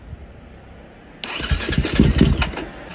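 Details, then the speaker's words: KTM 250 dirt bike, which ran poorly before, after cleaning its Keihin FCR carburetor: cold start with choke pulled and idle raised a bit. Brief crank, then it catches into a fast, slightly uneven choke idle, a healthy start. Adjustments may follow. "Dăm relantii un pic mai mare. A pornit. O lăsăm puțin să meargă așa și apoi o să mai umblăm la reglaje dacă este cazul."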